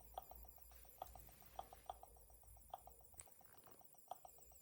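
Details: Dell B2375dfw laser printer, little used (under 1000 pages), failing to wake from sleep and then no power; short mid-pitched beeps repeat in uneven clusters about once a second, hissing near the PCB side, electronics fault of unknown cause.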